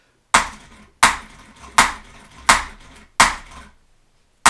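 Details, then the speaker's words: 1978 Oldsmobile Toronado XS barn find (58,000 original miles, sat for decades), starter jumped directly: sharp ringing clunks about once a second but the motor never turns. A bad or stuck brush is suspected; the starter needs replacing. "I don't think that's going to start the car so so basically um what that's saying is that I got a bad brush or stuck brush or brush brush is dead"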